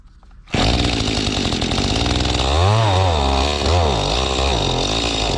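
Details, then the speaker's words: Mantis tiller two-stroke after a fuel-system cleaning, carburetor not yet adjusted and high-speed screw at its stop: a sharp snarl whose revs hunt up and down under throttle. It sounds starved for fuel, giving surging at high speed. "still starving for fuel, sounds like."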